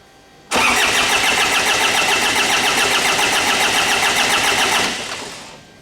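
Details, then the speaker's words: 2009–2010 Ford Ranger (Mazda BT-50) 3.0 L common-rail turbo diesel, rail pressure sensor signal faked at 11 MPa with a resistor: steady cranking that never catches; injectors not fired by the computer, the same no-start as before. "So it didn't start, and that's exactly the same condition we had before."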